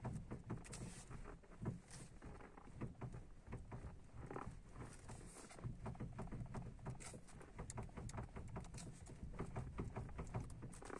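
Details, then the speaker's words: Ford Focus 2 front end: uneven dull knocks and clunks in bursts over a quiet background, a loose knock in the steering. Owner suspects worn tie rod ball joints, not confirmed. "походу шаровым на рулевых тягах вот этим шарниром хана"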